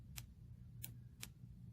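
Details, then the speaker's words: Car key fob on the bench after cleaning the dirty button contact, battery in, contact resting in place: four crisp clicks about half a second apart over a faint hum; the fob switch is clicking normally. "you can hear that clicking in and out. So you can just walk over to the vehicle and see if that still works."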